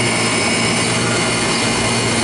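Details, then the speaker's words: York rooftop HVAC unit after a compressor replacement with a new filter dryer: a loud, steady whoosh and hum with no rattles, clanks or pitch changes as the new compressor runs smoothly. "you can hear, it's up, it's running."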